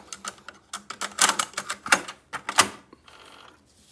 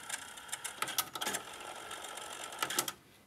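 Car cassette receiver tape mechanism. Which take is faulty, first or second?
first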